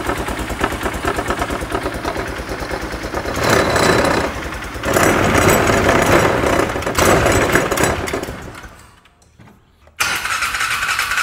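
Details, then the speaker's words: Polaris Ranger side-by-side after drying water from intake, air filter saturated; revs up and settles back, briefly dips nearly silent then picks up, otherwise steady even run while warming to operating temperature; normal running. "I'm just going to let this thing sit here and idle for a few minutes make sure to see if there's anything that like wet let it dry itself out let the engine actually get to operating temperature"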